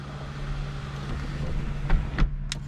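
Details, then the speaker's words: 2004 Dodge Neon SRT4 sunroof after a motor replacement: smooth, even hum while closing with no clicking or banging. The sunroof drive is operating normally. "this is how it should work opens right up and then it'll go closed no clicking no banging"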